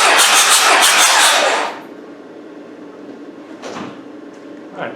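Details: Isuzu 4BD1T diesel in a Land Rover Defender, compression test cranking with the glow plugs out: even, steady cranking for under two seconds. Compression is balanced and acceptable, with readings of about 425, 425 and 400.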